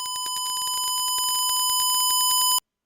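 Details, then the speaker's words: Guitar wireless test with test tone from Reaper (Line 6, Joyo JW03 2.4 GHz, Lekato 5.8 units): steady high tone broken by rapid uneven clicks, about ten a second; intermittent clicking, owner suspects interference from nearby computer. "So that could be interference. You know, there's a computer nearby. There's a lot of stuff that could be causing this interference, but I can't have this interference."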